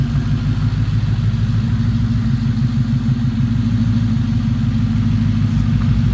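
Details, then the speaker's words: Ford Coyote V8 after the cam phaser fix for a timing chain chirp and rattle, fully warm after a drive: a smooth, even idle with a low rumble and only a light normal injector tick. No chain noise. Normal warm idle. "we got it out for a drive put some actual temperature into it and she is quiet just the normal noises injector's ticking away"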